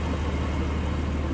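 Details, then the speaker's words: 1946 Plymouth Special De Luxe, 217 cubic inch inline six, hood open in engine bay: low, even idle hum without misses, ticks or knocks, smooth as a sewing machine; normal idle. "Like a sewing machine. 217 cubic inch, inline 6. It's a smooth runner."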